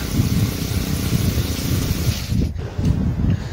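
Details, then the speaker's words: Honda GX35 trimmer engine on a water pump, after carburetor repair for a no-start, run at high speed: quick, even beat with no misses or stumbles; smooth, normal running. "Điều quan trọng là phải đảm bảo rằng động cơ chạy tốt ở tốc độ cao. Tốc độ quay cao cũng rất mượt mà."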